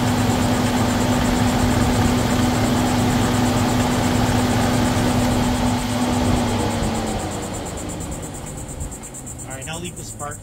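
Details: 2011 Volvo XC90 engine, hot, at idle after PCV valve replacement: smooth, steady idle with a faint constant hum, the loud whistle gone; the engine winds down at shutdown.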